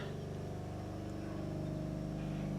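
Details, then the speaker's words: 1966 Chevelle project: electric brake vacuum motor hums steadily over a lumpy even V8 idle after startup, no rattle, running normally and shutting off after a few seconds. "Hear that? That's the vacuum motor for the brakes."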